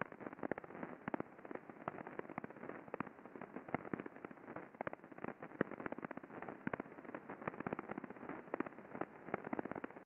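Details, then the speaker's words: Rolling bearing at a chemical processing facility heard via ultrasound before greasing: dense crackling and sharp popping over hiss, impacting visible in the waveform, a couple of grease shots did not reduce it; bearing defect. "so as you can quite clearly hear there is impacting going on there we can see it in the waveform but you know my my first exposure to this bearing was that crackling and popping that sound of impacting that was happening in the bearing"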